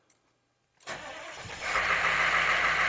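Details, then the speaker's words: 6.2 diesel with Banks Sidewinder turbo, after glow plug replacement and exhaust/downpipe wrapping, started on factory glow timer at 74°F: quick crank, catches immediately, steady even idle, no double cycle, no smoke; afterglow working; clean start. "perfect afterglow was hitting everything started up no double cycle successful"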